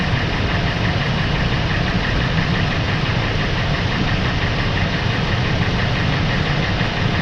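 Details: Ford 5.4 V8 warmed up at idle, rapid hollow rattling knock over heavy low rumble; piston slap suspected, not confirmed.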